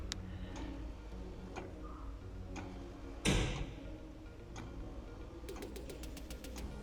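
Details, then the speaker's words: Eberspächer Espar D2 heater; blower fan held by hand to simulate the case touching the fan, which stopped it starting; steady ticking, a clunk, fast clicking, no fan spin-up, repeated attempts, then error 33; start failure with blower fan blocked. "okay so i will i will try to start the heater and i will hold the fan with my hand it could be that it tried to start yeah i can feel you can see it's trying to start"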